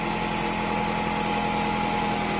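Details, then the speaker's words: 2004 Toyota RAV4 2.4L four-cylinder after water pump replacement, antifreeze topped off: smooth, even idle with steady low hum, previous harmonic rattle gone; worn water pump bearings were the cause. "we're going to fire this up and see what it sounds like here we go well no more rattle sounds pretty good"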